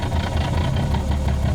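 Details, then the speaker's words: Manual-swapped 1998 BMW 328i E36 on its first test drive, parked in neutral at idle: loud, rattly, uneven clatter riding on a low idle. "well this car is making an assload of noise right now"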